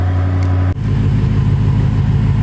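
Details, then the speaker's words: 2017 BMW M6 F13 with new GT Haus Meisterschaft GTC exhaust, factory cats, after cold start with exhaust valves open; deep steady idle, note shifts then settles evenly; normal cold-start idle. "this is after cold start valves are open as you can see"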